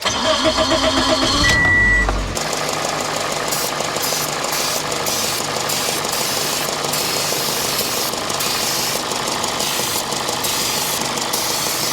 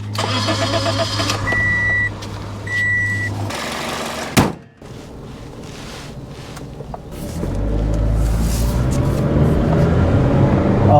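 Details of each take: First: 2005 Toyota Matrix 1.8L with over 400k miles and code P0171, MAF cleaned, idling while carb cleaner is sprayed around the intake manifold with no change: it catches and settles into an uneven, lumpy idle; rough idle, no misfires. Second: 2005 Toyota Matrix 1.8L with over 400k miles and P0171, after cleaning the mass airflow sensor and finding loose spark plugs; short crank, then an even, steady hum pulling smoothly on the test drive. Normal running, much peppier.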